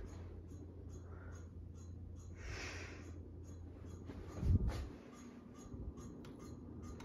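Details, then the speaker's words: Harbor Breeze Bay series ceiling fan at a faster speed setting: low motor hum with a short high squeak about 2.5 times a second, which the owner attributes to the set screws; cause suspected, not confirmed. "yeah you can hear making those squeaking sounds again from the set screws"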